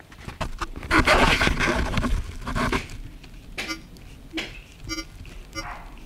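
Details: Sharper Image Bluetooth TV headphones giving harsh, crackling, buzzy, distorted sound after the system wakes from sleep; the transmitter woke up in a bad state.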